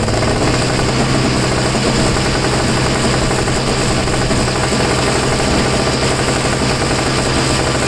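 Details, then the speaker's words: Two-stroke snow blower that sat 10 months and wouldn't start, now refuelled with fresh two-stroke mix; fast, even rattle holding constant speed without surging; it simply lacked enough fuel, normal running. "well just call me an idiot you just didn't have enough gas in it before"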